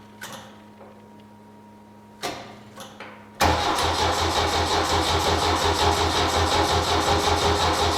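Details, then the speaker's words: 1972 Saab Sonett, start attempt with flat battery and low fuel (fuel pump audible): a few lone clicks, then the starter spins the engine in a quick even rhythm without catching; weak battery, intermittent starter. "clicking is I got no battery okay I'm sorry about that I need to put the battery on charge and put more gas in it"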